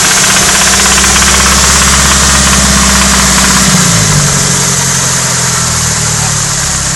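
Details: Nissan Silvia/180SX SR20DET redtop engine, held near 2,500 rpm where the noise appears (seemed to come from the head): hard metallic rattle that eases as revs drop. Confirmed worn big end bearings.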